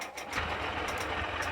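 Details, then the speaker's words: Honda SP125 BS6 motorcycle after battery replacement fixed self-start trouble, self-started and idling; quick even tick-over with a light steady patter, no misses or rattles; normal idle. "দেখুন battery পরিবর্তনের পর self start দিচ্ছি কোন সমস্যা হয় না সুন্দরভাবে"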